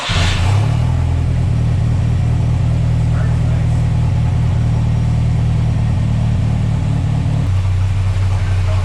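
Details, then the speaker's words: Mercruiser 140 boat engine swapped into an S10 with GM ECU tune, not staying in closed loop: pedal held still at about 15, note climbs on its own and hangs high before dropping; rpm surge as spark advance jumps to about 35 degrees. "I didn't have, after it revved up, my foot was off. It's all spark."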